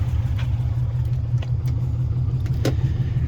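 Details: 1958 VW Beetle with a 2002 Subaru Impreza 2.5 NA flat-four swap (KEP adapter, VW IRS transaxle): low, even burble at steady idle, no knocks or misses, a couple of light clicks around it; normal healthy idle.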